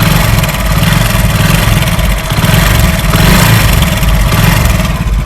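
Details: 2019 model motorcycle single-cylinder engine at idle: loose, chattering rattle over the thump that swells and fades; timing chain tensioner spring noise.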